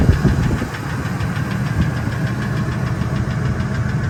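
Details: 1999 Ford F250 V10 petrol idling in park: light, uneven tick over the low rumble, coming and going, loudest near the flex plate, occurs 600–1800 rpm and vanishes above; injectors and coils already replaced, EGR deleted; source still unknown.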